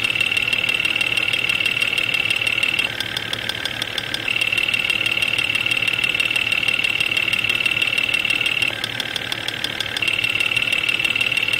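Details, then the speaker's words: Jeep XJ Cherokee at about 175,000 miles with an intermittent knock, mostly when cold: sharp, fairly even tapping about three to four a second over idle, probed via chassis ear; cause unknown. "okay number five cylinder is quite loud we're gonna pull the number five spark plug wire off to take the load off that cylinder and see if that has an impact on the noise"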